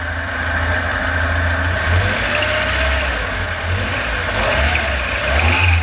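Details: Lada 2104 carburetted engine, running on fuel poured into the carburetor because of a suspected bad fuel pump, choke off: steady, even idle with a smooth low rumble, no misses or knocks, maybe slightly rich; normal idle.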